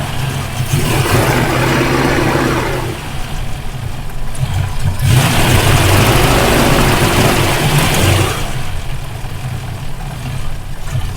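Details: Rover P5B Coupe V8 that misfires only when hot, after fitting a replacement coil: uneven, stumbling beat with dropped firing pulses at idle and revs; misfire persists, so not the coil; condenser, points and rotor are next suspects.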